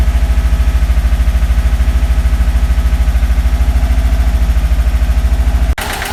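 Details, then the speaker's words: Subaru Impreza GC8 with swapped EJ205: heavy, lumpy idle thumping about three times a second, rhythm loping; the idle had dropped from about 1500 rpm and still sounded off, and a compression test showed cylinder 3 (rear driver's side) dead. "it started to idle around fifteen hundred stably and then after a minute it dropped down but it still sounded weird"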